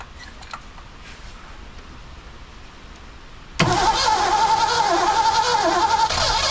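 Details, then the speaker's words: 1982 McLaren Mustang (Fox body) that sat for about 30 years, with a factory coil fitted and the valves and timing chain checked. A steady churning crank that never catches: cranks but will not start, with too little ignition timing suspected. "he's got to be timing it wants to come on it's like it doesn't have enough timing"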